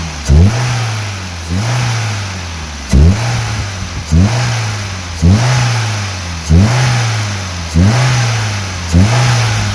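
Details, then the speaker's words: Maruti Wagon R engine revved with sudden throttle from idle (issue also felt in first and second gear): a whooshing air-suck on each rev-up. The air filter housing's lock is broken, so its cap won't seat and air is sucked in there. "അങ്ങനെ ആ ഒരു ക്യാപ്പ് ഉറച്ചു നിൽക്കാത്ത സാഹചര്യത്തിൽ അതുവഴി എയർ വാഹനം സക്ക് ചെയ്തെടുക്കുന്ന സൗണ്ടാണ് നിങ്ങൾ കേൾക്കുന്നത്."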